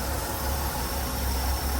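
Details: 1985 Ford F-150 engine idling after the block was degreased and cleaned: deep, steady rumble holding an even idle without misses or knocks, running smoothly.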